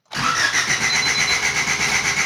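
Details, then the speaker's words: 1988 Honda CRX Si, just fitted with a new fuel pump after low fuel pressure was suspected: starter cranks at a steady rhythm for two seconds but never fires; still cranks, no start, cause unknown. "Nothing. So, what could it be? Well, at least the car now has a new fuel pump."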